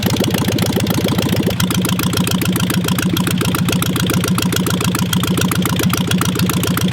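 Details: 1958 VW Beetle ragtop with a 36 hp engine that is probably not original, sitting since 1983: it cranks briefly, catches about 1.5 s in, then holds a steady, slightly clattery air-cooled idle. Start and idle after long storage.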